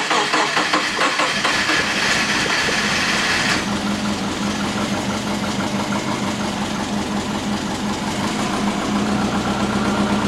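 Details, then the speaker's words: Big-turbo Subaru Forester during idle-control tuning, just after a cold start: a loud, lumpy low idle that drifts and wavers instead of settling, hunting at very low RPM, attributed to retarded base ignition timing. The TPS was recalibrated to 0% afterward. "What I do like mechanically, it still hunts for very low RPM."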